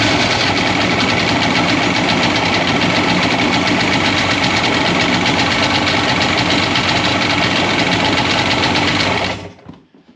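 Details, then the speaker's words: 2001 Polaris Virage 700 two-stroke jet ski, first start after fresh fuel: loud buzzy idle with uneven, lumpy beat, running rough, then cut off; compression test shows one cylinder with almost no compression, a dead cylinder. "this one has like no compression so we have a dead cylinder which is kind of tragic"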